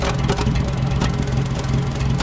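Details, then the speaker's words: Restored 1923 Fiat 501, running but not hot, radiator just refitted: low, lumpy idle with a chopping puff from the exhaust about once a second; intermittent misfire, owner suspects valves, carburetor adjustments helped somewhat. "what we've got to fix now is that damn chopping at the back if you can hear that"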